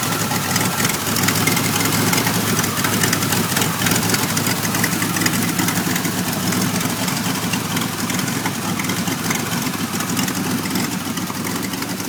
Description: Here is a video of my 1991 Firebird v6 that is now able to start and idle but the idle is very rough and I am still getting codes 33 and 43.